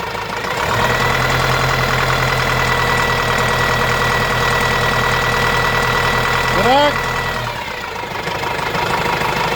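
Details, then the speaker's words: Renault Master diesel, gear- and timing-belt-driven engine, after the timing belt was refitted: steady, even idle with smooth rhythm and no slap or rattle; engine sounds healthy, normal idle. "Yani evet motorumuz Hacı Bekir lokumu gibi çalışıyor arkadaşlar"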